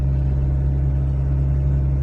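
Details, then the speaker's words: 2009 Hyundai Accent driving after replacing the sway bar end links: steady low road and engine drone inside, the earlier front clunking rattling gone, even over rougher road. "sway bar links have been replaced hallelujah the clunking rattling noise is gone"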